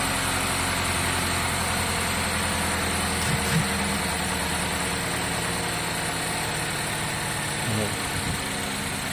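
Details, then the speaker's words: GMC Acadia/Terrain 2.4 with codes P0300, P0352, P050D (cold start rough idle): steady idle drone with slightly uneven beat; misfire persists. "this is the good coil we still have our misfire"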